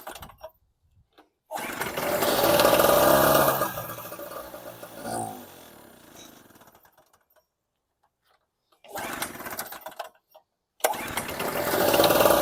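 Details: Storm Cat 700W (900W peak) Harbor Freight two-stroke 63cc generator, recoil start, after swapping in a no-name test spark plug: catches on each pull, runs ragged about two seconds, fades and dies; plug made no difference, carburettor suspected, fuel starvation stalling.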